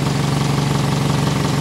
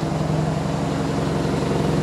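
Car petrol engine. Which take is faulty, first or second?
second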